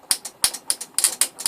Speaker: Yeah, you can get some serious juice out of this thing. And again, you know, it'll do that at, you know, 3.05 amps. So there's 60 volts, 3.5 amps dead shorted at that plug right there.